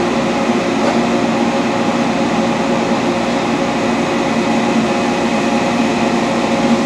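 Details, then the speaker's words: Dainichi Model H lathe with DC drive, power feed engaged on a light cut: steady, even mechanical hum with no grinding, knocking or whine; gearbox in good condition. "you can hear it's not making any noise gears are not grinding in really good conditions"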